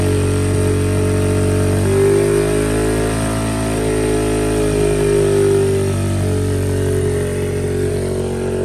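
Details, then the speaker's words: 2003 Honda XR50 single after a whole new carburetor system, on fuel reserve: runs fast and steady without dropping back to a low idle; high idle blamed on a poor aftermarket throttle cable lacking adjustment. "So we're having a few problems. This cable is not working. There's not enough adjustment in this cable. It's a junky Chinese cable."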